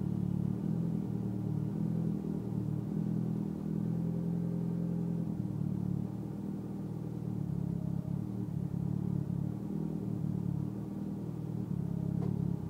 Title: rough idle evo x